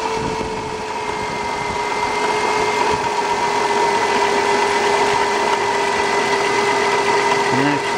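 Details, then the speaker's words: 2002 Dodge Caravan 3.3L with a battery that goes dead overnight and voltage reading 12 to 14 V. At idle there is a constant whine with grinding from the alternator, and the alternator can be felt hitting itself by hand, pointing to a worn bearing. "i can hear some grinding in the uh alternator and i can also feel it when i put my hands over there i can just feel it hitting itself"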